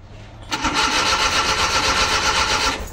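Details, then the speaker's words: Rusco Multicab, hard starting in the morning despite two carburetor top overhauls, spark present: starter churns about four pulses a second for two seconds, intake sounds hissy, no catch; no start. "ayaw umandar talaga ayaw talaga yan starting talaga oh it na opak ayaw talaga yung kanyang tunog parang singaw yung ano eh singaw yung intake humahagubhub eh"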